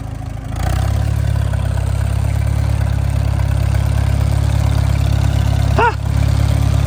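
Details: McCormick Super W6 tractor idling after a quick catch and being driven off the trailer in first gear; steady, even low rumble, no misses or knocks; healthy idle.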